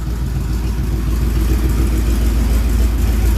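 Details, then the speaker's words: 1967 Chevrolet C10 V8 after camshaft and lifter change, light throttle blips: deep even rumble, no knocks or misses, smoking stopped, running good. "I think that's a little gas I don't think that's all man it's running good"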